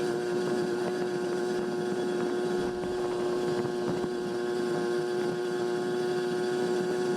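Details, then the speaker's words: 1981 Honda Express NC50 barn find two-stroke with new Dellorto SHA carburetor, riding on a gentle downhill: steady high-pitched buzz at even high revs, not four-stroking, running clean. "And actually, as I go further down, it felt like it picked up even more, but right here you can hear the RPMs go to a higher pitch."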